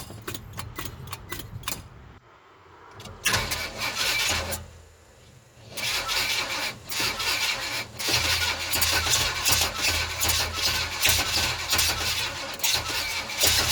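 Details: GMC 350 V8: repeated steady cranking at about three beats a second with pauses between tries, never firing or catching. Crank, no start.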